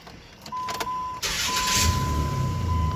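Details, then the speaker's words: 2004 Dodge Dakota after its broken exhaust manifold pipe was stick-welded and left to cool about an hour: catches after a brief crank and settles into a steady, even idle with no rattle, ticking or shaking; normal idle. "look at that. Nice and quiet again. No more shakes and no more noise."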